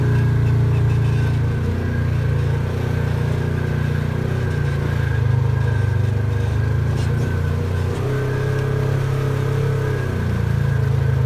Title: Belt squeal with DuraClutch 1